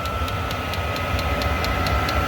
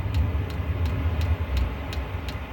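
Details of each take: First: Diesel heater in an off-grid cabin, reinstalled after a full teardown and heavy soot cleaning. It runs smoothly with a steady combustion hum and a high whine, and the fuel pump ticks about four times a second. A little smoke is normal. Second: Diesel heater on start cycle in an off-grid cabin, pump pulsing with air bubbles in the pressure-side fuel line: sharp regular ticks about three a second over low blower rumble, igniter trying, then flame-out from fuel starvation; owner suspects mixed fuel sources.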